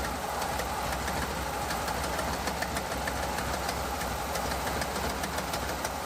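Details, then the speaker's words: 1986 Ford F150 5.0 EFI V8, first run after 25 years sitting, with headers and glasspack side pipes: loud lopey idle about 700 rpm, choppy burble with crisp ticking; runs steady, charging, oil pressure, slight exhaust leak. "Looks like we're idling about, well, 700 RPMs. We could maybe turn that up a little bit."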